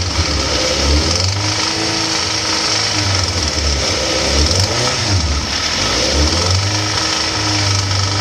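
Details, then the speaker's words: 2004 Suzuki GSX-R1000 motorcycle: sounds normal cold, but when warm and revved above about 3,000–4,000 rpm a chattering rattle or popping rides over the engine; owner unsure if lifters, engine or timing. "It still sounds regular, but as it warms up, it gets a little rattly or popping."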